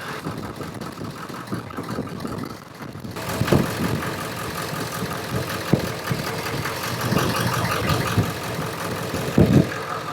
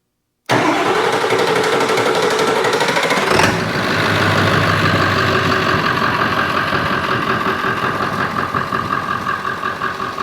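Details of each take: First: 7.3 Powerstroke with long crank/hard start, new ICP sensor fitted, running at idle with number five injector unplugged: idle turns lumpy with irregular heavy thumps; cylinder five was firing, not the dead cylinder, misfire from disconnected injector. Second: Ford F350 7.3 Powerstroke diesel, body removed, being diagnosed for hard start/long crank; starter fed via jumper wire past failing relay box: about three seconds cranking, then catches into an even, steady diesel idle, no misses; normal start and idle.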